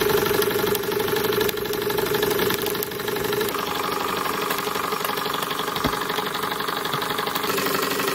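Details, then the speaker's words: Model flame engine after a repair made on a new lathe, burner set as wanted, run in reverse: slow steady firing beats about four a second with soft clatter; smooth, healthy running. "we'll try reversing it very very nice now I'm impressed with this beautiful smooth sound I'm impressed listen to that"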